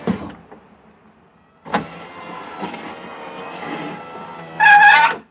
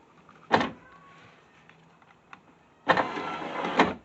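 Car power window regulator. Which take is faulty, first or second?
first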